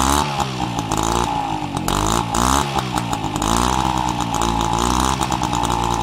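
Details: Peugeot 103 RCX moped two-stroke, first start after full engine rebuild and carb cleaning: crisp buzz picks up cleanly on throttle blips and drops back evenly, no rattles or misfires; healthy.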